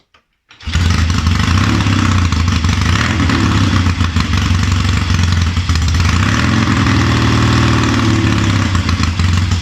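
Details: Triumph Tiger 90 350 twin with electronic ignition, first cold start after rebuild, kick-started: catches and runs loud, lumpy and uneven; ignition timing out, carburation probably slightly off, though it starts easily off a kick.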